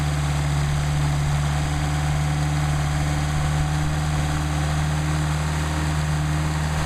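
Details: Mercedes 190SL with rebuilt Solex carburetors warming up before adjustment, about 99° ambient: smooth, steady low hum with an even beat and no surging or misfires. Normal idle.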